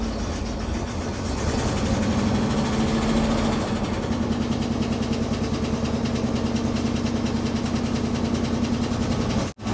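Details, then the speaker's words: 1962 Cadillac Sedan DeVille first started after 30+ years parked: a rough, uneven idle with an irregular stumble in the low rumble, a misfire whose cause is not yet found. "got a missfire we'll figure that out later"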